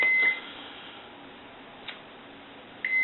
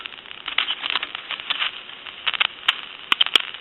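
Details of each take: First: I'm going to go ahead and check continuity it's there I'm going to release the switch Second: Touch Tone Brass Majesty telephone under test, old carbon T1 transmitter shaken with dial tone on the line: hissy, crackling rush in bursts with sharp pops between. Noisy carbon transmitter static, to be replaced with an electret microphone.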